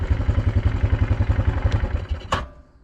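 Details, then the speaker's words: 2002 Yamaha Kodiak 400 4x4 ATV after replacing the bad front left wheel bearings and torn-boot axle, test drive: steady low thumping beat, even until shutoff, no more clunk or binding when turning; normal running. "seems to be working good when you turn it doesn't clunk anymore"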